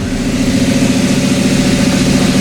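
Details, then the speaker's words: TDI diesel-swapped Toyota Tacoma, first run, truck lifted, idling in second gear at 10 mph: even steady diesel idle with a smooth low rumble and no knocks or misses; running healthy in gear. "there we go got her second gear idling 10 miles an hour"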